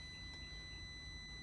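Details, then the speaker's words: 1964 Cadillac power window relay that was not working, case removed, on a bench continuity test: the multimeter gives a steady, clean high buzz over a low hum when power is applied; contacts close normally. "like works power windows will now work that's it"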